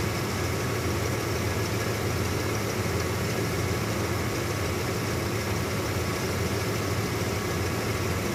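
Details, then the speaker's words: 1996 Ford F-150 A/C after replacing a bad low-pressure switch and adding R-134a and oil: compressor clutch now engaging and running, blowing colder air; smooth even idle with steady low compressor hum, no clatter or squeal; normal compressor operation. "Also, if you're paying attention to that clutch, you're seeing it now engaging and running because the more 182 95A that gets into it, as well as the oil that I put in, it's freeing up and engaging."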